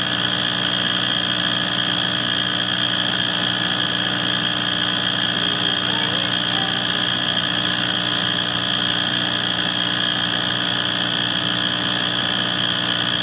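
A steady, unchanging drone with a constant hiss over it and no cycling; the furnace runs with an unexplained rumble.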